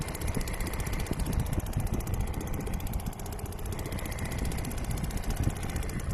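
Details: Restored old Seagull 40 Plus outboard running in the sea at the beach, pumping lots of water at raised revs (stops pumping at low revs): low, chugging two-stroke beat, even, no stumbles or cut-outs; normal running.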